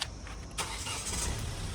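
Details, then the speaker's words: 2017 Hyundai Creta 1.6 SX diesel, 68,000 km, last serviced at 67,150 km: very short crank, starts on half a starter turn and settles into even idle; starts cleanly. "Half సెల్ఫే single self కూడా కాదు half self లోనే start అయిపోయింది."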